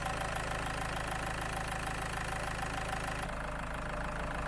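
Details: Land Rover Freelander 2 diesel fed from a Wynn's purge can during an injector clean, fuel pump fuse 22 removed. Even, steady idle clatter with no misses or surging: normal idle.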